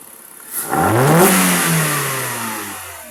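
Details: Kia, revving after MAP sensor cleaning for a rough idle; engine blips up smoothly, holds, then settles back evenly with no stumble or misfire, a clean, healthy rev.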